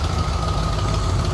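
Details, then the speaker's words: Ford AU Falcon XR8 V8 idling after a second-hand full exhaust install: deep lumpy idle with a faint ticking puff on the exhaust pulses; the old manifold gasket was reused on one side and leaks, while the new-gasket side seals. "That sounds tough ass. Even though it has got an exhaust manifold leak."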